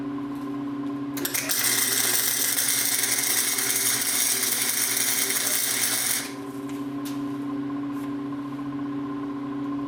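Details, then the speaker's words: Cheap Harbor Freight welder tacking exhaust pipe during exhaust leak repair on a 1990 Chevy Camaro small block: a harsh crackling sizzle runs about five seconds over a steady hum. This is heavy spatter from settings that are still off. "you can see how much splatter splatter there is from that hundred dollar welder but I need to adjust the settings on there a little bit it's still a little off"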